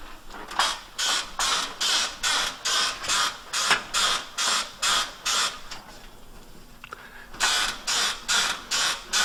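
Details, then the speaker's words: Front upper control arm polyurethane bushing on a Pontiac GTO, car on the ground and probed with a stethoscope: sharp, even squeaks about two a second. The dry bushing lacks grease, and all the bushings likely need regreasing. "all right front one on this side is definitely squeaking uh so yeah it's probably safe to assume that all of them probably need uh some kind of grease"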